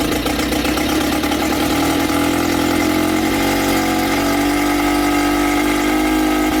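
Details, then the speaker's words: Sea King 6 outboard (VWB19074A) after fuel system repair, started on one pull: uneven, loping beat with wavering tone and smoke; rough running, owner suspects mixture too rich, not confirmed. "It feels a little weird, smoking for sure. Don't know why. It did start with one pull. That's a lot of pulling glass gas, so I guess that was too rich."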